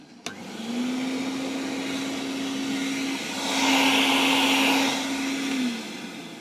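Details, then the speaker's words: Vintage Hoover 419 cylinder vacuum cleaner during a refurb: the motor test gives a smooth, steady hum with constant pitch and a brief airflow rush, with no rattle or grinding; it sounds healthy. "that sounds absolutely gorgeous"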